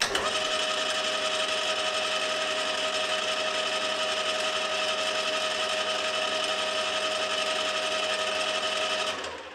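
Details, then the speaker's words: HAFCO AL320G lathe gearbox before the oil change: loud, steady metallic gear whine with rattly chatter from gear backlash; thicker oil, added in greater quantity, later greatly reduced the noise. "As a reference point, take note of how loud this is before I change the oil."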